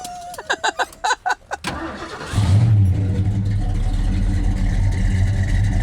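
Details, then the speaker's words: 1970 Mercury Cougar Eliminator clone, FMX converted to Top Loader manual, started and idling: cranks, catches, settles into deep slightly loping idle with lots of shaking from a mild cam; normal cammed V8 idle. "There's a whole lot of shaking going on in there. It's got a little cam in it."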